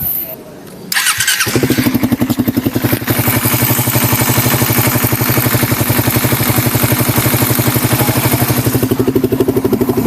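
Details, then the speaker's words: Engine cold start after a tensioner reset/adjustment: it fires after a second and settles into an even, steady idle beat. The earlier top-end tick-tick sound is gone and it runs very quiet. "Sa narinig ko ngayon, wala na. Sobrang tahimik na, wala na yung tick-tick sounds."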